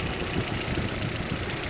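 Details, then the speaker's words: Audi A4 1.8T after ignition coil harness replacement, first start after sitting: even idle with steady low rumble, no stumble or misfire beat; engine sounds good, a vacuum leak hole under the intake held shut. "works like it actually works and the engine sounds good"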